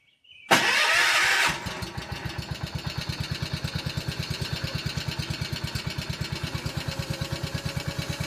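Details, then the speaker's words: 1976 garden tractor, oldest in the shop, cold start, expected to start easiest: cranks briefly then catches at once, settling into an even steady thump about three beats a second; normal start and idle. "I can almost guarantee that of all of these tractors this one's going to start the easiest so we'll see we'll start with it"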